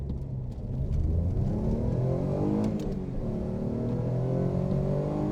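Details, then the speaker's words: Alfa Romeo GTV 3.0 Busso V6 after removing the induction kit and refitting the stock OEM airbox: smooth engine note rising steadily through the gears under hard acceleration, even and more subdued, less in-your-face than before; normal intake sound. "It's not as loud as in your face as previous. But it's, yeah, I'm happy with that. More refined."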